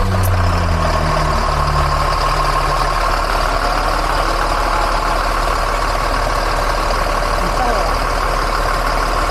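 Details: Mercedes-Benz OH 1526 bus diesel engine started at an oil change; starter turns briefly, then a steady even diesel clatter with no knocks or misses; normal diesel idle.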